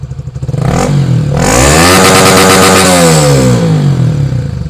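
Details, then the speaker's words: Honda Sonic 150R after remapping the original ECU: single-cylinder revs rise quickly with throttle, hold near the new limit of about 11,500 rpm, then fall away cleanly without stumbling. "Nah ini kita lihat mencoba kita gas ya Eh tapi sekarang sudah 11 tengah ya"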